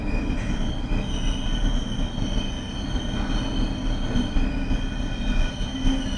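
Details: Abnormal brake squeal on a BR481 Berlin S-Bahn train braking into Flughafen Berlin-Schönefeld, the last stop: several loud, steady, sustained high squealing tones over the rumble of the slowing train; unusual for this class, cause unclear.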